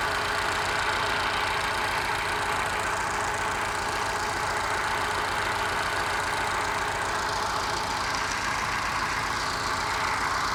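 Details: Moke engine bench-tested on a stand, compression tested excellent and no smoke: steady idle with an occasional dropped firing; missing on one cylinder, owner suspects carby mixture, valve ruled out by compression.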